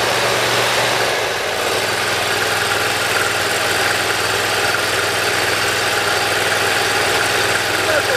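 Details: Briggs & Stratton Intek V-twin mower engine (Dixon mower re-power) after valve lash adjustment, reaming of the Nikki carburetor low-side jets and governor adjustment: even steady speed for eight seconds with no rise and fall in pitch; surging cured, governor holding.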